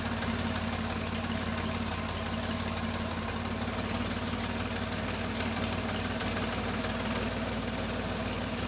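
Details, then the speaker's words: 1968 Jeepster Commando Buick V6 at idle, in 100-degree heat: steady idle with dull, slightly uneven beat; misfire on the rear cylinder persists, spark appeared present, owner suspects some mechanical damage. "It definitely still has a misfire. But it also sounds like there's some kind of mechanical damage going on."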